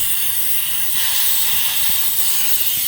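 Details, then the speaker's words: Repaired air compressor, leak fixed by threading and pressure switch replaced, holding pressure: steady loud high hiss as air is released from the tank drain at the bottom; normal intentional drain. "you can hear the air it's coming down so so there you have it you got a 60 spent 65 bucks and you got a 600 compressor"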